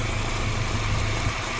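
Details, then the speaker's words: 1988 Honda CRX Si, D16 engine, after new clutch and transmission install and a drivability fix, belts off: steady, even low rumble with no misses, knocks or hunting, barely audible; normal idle. "But we're good to go on the transmission. Barely hear it."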